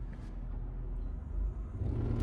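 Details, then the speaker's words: 2011 Toyota Sienna front AC blower motor on: low, uneven rumbling that builds as the fan spins up and continues at higher speed, no squeal; still blows cold air but sometimes shuts off. Blower motor out of balance, being replaced. "You can hear it it's making that terrible noise. Sometimes it will even shut off. It's still blowing cold air, but again, it's making that noise. Sometimes what happens is the blower motor gets out of balance"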